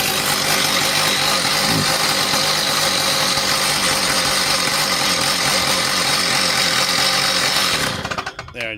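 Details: Stihl TS460 two-stroke concrete saw, cold, after sitting a year, choke misalignment fixed, running without blade, carb not yet tuned: loud steady high-revving buzz for about eight seconds, then choked out; runs fine.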